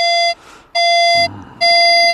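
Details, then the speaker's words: Nexus MP V3 metal detector, standard audio, VCO tone off, threshold just audible, coarse ground balance being set. Steady high beep on each coil upstroke while pumping the coil: ground balance off, too low. "right now we're totally off right you're pumping the coil you see on the upstroke it gives a tone"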